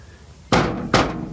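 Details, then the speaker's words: 1936 Chevrolet coupe body panel bang test: two sharp hollow knocks, bare metal resting on two frame beams; fix planned by unbolting the panel and adding rubber mat where metal meets metal. "that sucks so i'm going to just unscrew these bolts put some rubber mat where it metal meets metal"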